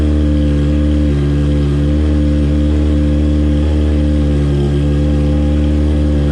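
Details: Honda F4i sport bike, freshly started; steady, even engine note with no misfires or stumbles under loud music: normal running.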